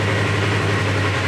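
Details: 2017 Polaris RZR XP 4 1000 on a newly fitted Alba Racing ECU: smooth, steady low normal idle with no misses or knocks. Check engine light and front wheel drive fault remain, but power steering is back on.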